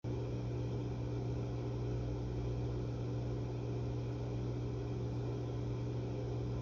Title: 2021-01-22 HVAC outdoor unit making loud noise